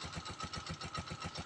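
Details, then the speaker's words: Honda TMX 125 Alpha single idling cold in the early morning, no choke used: soft, even putter with steady firing pulses, no misses or knocks; carburetor air-fuel mixture and idle correctly tuned, a clean, normal idle. "tama yung air and fuel mixture niya dito sa ating karburador tama yung pagtutul niyo mabilis paandarin yung motor"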